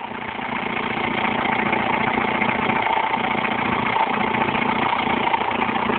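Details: Alfa Romeo 156 1.9 JTD diesel at idle: faint chirping tone over the clatter, suspected accessory belt noise, not confirmed.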